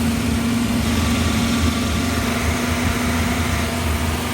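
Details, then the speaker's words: 1955 Chevy V8, after reviving and checking timing with vacuum advance hooked up: low, steady idle with a slightly lumpy, uneven beat; an idle stumble remains, cause not pinned down. "You still got that stumble though."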